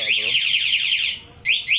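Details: 2018 Honda Sonic 150 cc motorcycle with a newly installed remote alarm: a fast string of high warbling chirps followed by two short chirps as the remote shuts the engine off, confirming the alarm works as intended.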